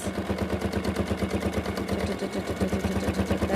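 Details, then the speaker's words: Sewing machine free-motion quilting: a steady, even stitching hum at about three beats a second with no catches. A healthy machine running at the right speed. "the noise you want to listen for it's a really calming noise you know your machine is in the right position speed wise"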